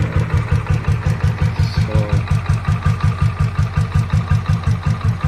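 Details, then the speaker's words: 2007 Royal Enfield Bullet Machismo 500 LB AVL single, 5-speed, stock, freshly serviced with new battery and self-starter; just started, slow even thump at idle, about three beats a second, absolutely smooth, no knocks. Normal idle. "sounds in idling absolutely smooth running engine and you can hear the beats I'm sure true Ari lovers know how uh 500 CC lb AVL engine should sound"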